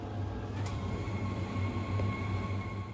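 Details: Worcester 28i RSF boiler on demand with a screw undone: steady low fan drone with a thin whistle and no ignition whoosh. Fan runs but the burner doesn't light; suspected tripped manual overheat cut-off stat.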